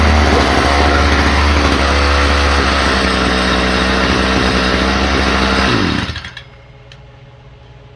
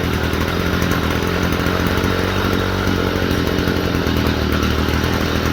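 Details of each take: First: Stihl FS45 trimmer after carburetor ultrasonic cleaning, carb fuel pump very weak; small two-stroke screams unevenly at high speed then dies after about six seconds; running poorly and stalling, idle turned up, may not cold start. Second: Stihl FS45 string trimmer after a fuel/priming problem and a spark plug cleaning, run on freshly mixed two-stroke fuel: a steady, even two-stroke buzz with no stumbling or surging, running cleanly.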